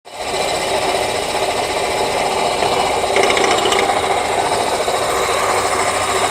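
Dense, fast metallic rattle holds steady over the running engine, no clear rhythm; a rattle somewhere in the engine, cause not pinned down.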